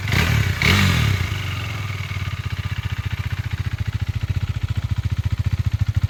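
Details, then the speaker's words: KTM 390 single (2017 BS4 Duke 390 at 14k km or 2015 BS3 RC 390 at 13k km), single owner, ECU checked, seller reports no engine complaints. After a short rev it settles to an even, steady thump of about 4 beats per second. Normal idle. "അപ്പൊ ഇതാണ് കേട്ടോ വണ്ടിയുടെ engine sound. എഞ്ചിനൊന്നും യാതൊരു കംപ്ലൈന്റോ കാര്യങ്ങളോ ഒന്നും വന്നില്ല."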